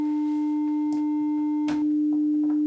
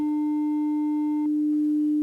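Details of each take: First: 300 Hz test tone on a hardwire Y-split, a console switched off on the other leg, driven back up to a higher level (about 1.7 V peak-to-peak; clean near 1 V): tone turns buzzy and rough in stretches; distortion clears when the console is turned on. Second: 300 Hz test tone on a Y-split to Behringer Xenyx and X32: steady, pure tone, clean and even with no buzz or grit; signal path passing audio properly again.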